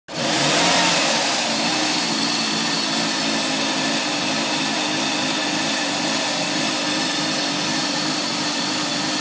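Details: Mazda 6 2.3L petrol, parked 3 months, which cut out after 20 minutes of driving and keeps dropping revs and stalling: the engine idles roughly on the drive, its note wavering and dipping rather than holding steady.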